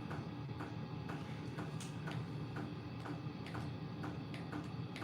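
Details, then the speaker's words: HCALORY 8 kW portable diesel air heater in a garage on its lowest setting: soft steady clicks about twice a second over a low hum; dosing fuel pump ticking normally. "wait a minute now this is on this is on super low it's the lowest setting"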